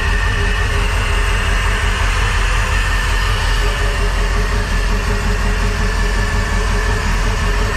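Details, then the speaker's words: Crusader 8.1 Captain's Choice marine engine with new long block, reported running rough and not making rpm: loud uneven idle with a lumpy stumble about once a second, a full-on dead cylinder; fuel pressure regulator ruled out, injector issue suspected. "it's got a full-on dead hole somewhere so it does sound weird right it it doesn't sound right"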